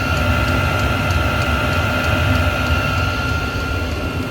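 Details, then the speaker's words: Diesel heater after teardown and soot clean, set to level 6 (highest), warmed up with hot exhaust, minor air bubble left in fuel line; steady roaring blower, constant high tone, fast even pump ticking, pumping good hot air; normal full-output operation. "It's set at level 6, so that's its highest setting. It's pumping out good hot air."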